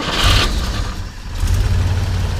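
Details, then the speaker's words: 1959 Chevrolet Model 1305 truck, original oil-bath air cleaner, already warmed up: the six settles into a soft, even low burble with no misses or knocks, a smooth warm idle. "You know, it just runs like a little sewing machine. Sounds good."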